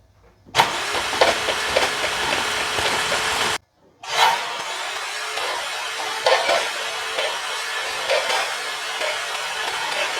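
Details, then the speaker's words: Audi C7 after intercooler core failure, cranked with coil packs and plugs out: fast airy chuffing, pause, more cranking as dirty water blows out of bank one cylinder 3, rear passenger side; hydrolocked cylinder. "okay guys so as you saw from that video we had a good amount of water come out of uh cylinder 3 on bank one which is the furthest to the rear on the passenger side"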